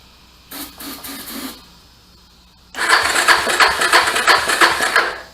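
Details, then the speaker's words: Salvage-yard Suzuki DRZ 250 sprayed with brake cleaner: two short ragged firing bursts that die at once and never catch; it isn't getting fuel itself and the carburetor is to be checked. Cause suspected, not confirmed. "it hit off a little bit but I don't want to keep spraying at a brake cleaner stuff at it"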